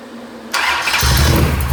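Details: Mopar 580 stroker V8 first startup on run stand with mufflers, timing 33 degrees, about 1,400 rpm, 65 psi oil pressure: fires on first catch, settles into steady deep idle without misses; healthy.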